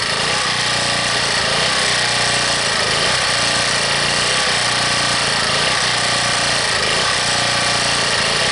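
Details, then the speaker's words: Harbor Freight 1800-watt generator cold-started at 15 below, on full run with no choke: loud, steady petrol roar with only slight speed unevenness; the cold hunting is easing as it warms. "That's full run now. No choke whatsoever. And until it really warms up, folks, it's going to keep hunting."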